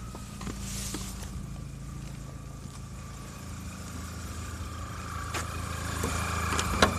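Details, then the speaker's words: Old Volkswagen Jetta 1.8L with the check engine light on and code P0300 (misfire, all cylinders), shaking and near-stalling: an uneven, stumbling idle at about three beats a second. Injectors were first suspected; the misfire cause is unconfirmed. "as you can stick in here my car not only have the second gen light it also makes this noise"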